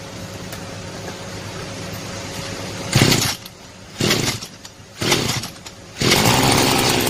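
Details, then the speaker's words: Mitsubishi gas-powered brush cutter engine after overhaul (failed from running without engine oil) and new spark plug; catches, throttle blips about once a second, then steady high-speed run with good throttle response: normal running. "Güzel devreye girdi. Rölanti hızının korunduğundan ve gaz pedalı yanıtının düzgün çalıştığından emin olun Motor yanıtının iyi çalışması önemlidir."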